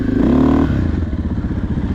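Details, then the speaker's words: 2023 KTM 500 EXC-F with TacoMoto Athena GET ECU and Graves exhaust, just started after install: short rev then even, steady idle (target about 1900–2000 rpm); clean idle. "You think that idle's good? Or we want to turn it up? Yeah, we'll give it a second anyway. Sounds good."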